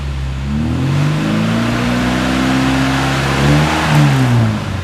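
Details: 1974 Mini Cooper, long unrun and smoking slightly, revved to 3,000–4,000 rpm and then once to 5,000–6,000 rpm to clean out: smooth, even rise and fall of revs with no knocks or misses. It runs cleanly.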